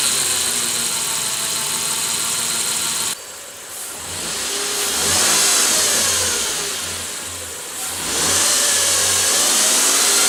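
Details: 2007 Nissan Frontier engine idling then revving, a thin high whine climbing and falling with revs that started suddenly; owner suspects the common issue in Nissan bulletin NTB09-128.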